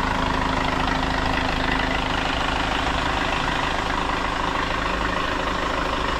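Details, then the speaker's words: Hyundai Starex CRDI diesel after low-power top overhaul with new piston rings and cylinder head gasket, warmed up: smooth, evenly paced idle with a soft low rumble and no odd knocks, running quiet; a healthy normal idle. "Medyo mainit na po ang makina nito mga boss at ang andar niya tahimik na."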